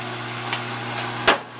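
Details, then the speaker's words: LG WT1101C/WT1201C washer: constant low motor hum with a couple of knocks; drain pump stuck running continuously, owner believes a firmware error. "now we can hear sounds you could hear that pump running continuously"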